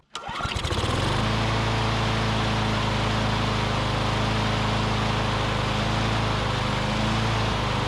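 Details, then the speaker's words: Curbside Briggs & Stratton Classic push mower, revived and running on its own fuel, oil sizzling off the muffler: single cylinder catches quickly and settles into a steady, even run at constant speed with no misses or surging. "uh this is a real smooth runner though that's great"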